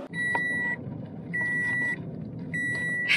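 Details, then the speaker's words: Car driving with the boot left open and the rear seats not folded: a steady high beep, about half a second on and half off, roughly fifty a minute over road noise, the open-boot warning. "great great great idea to leave the boat open and not put the chairs down because now we get to listen to this soothing beeping noise for the next 20 minutes on the drive back to the boat yard"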